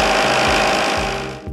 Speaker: Evidence of cavitation? Excessive noise and vibration. The gas bubble implosions sound like gravel in your pump and can cause potentially damaging vibrations.